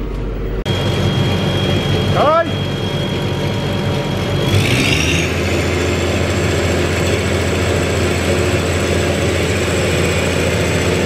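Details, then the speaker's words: Massey Ferguson 40 combine diesel, around 1996, after sitting three years and fuel and electrical work: steady drone at even speed with no misses, knocks or hunting, running on its diesel tank; a little smoky, probably from lack of use. "so she's running nice you know running off it's on diesel tank"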